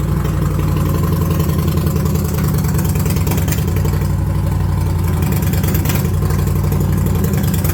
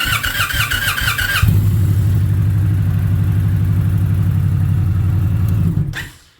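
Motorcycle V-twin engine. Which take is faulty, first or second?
second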